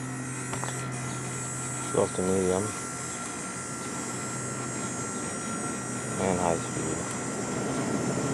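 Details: 1989 Carrier International Series window air conditioner with GE fan motor, compressor running and starting to cool: steady low hum, even fan rush and faint high tone, no rattles or knocks, smooth healthy compressor.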